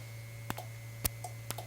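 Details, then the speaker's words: Sensitive relay in a 1952 Guide Autronic-Eye vacuum-tube automatic headlight dimmer (GM/Chevrolet accessory) clicks about twice a second over a steady hum, but the test bulb stays off; owner suspects a bad connection downstream, relay itself working. "the sensitive relay is clicking I'm not getting anything at the bulb the fact that sensitive relay is clicking is good news"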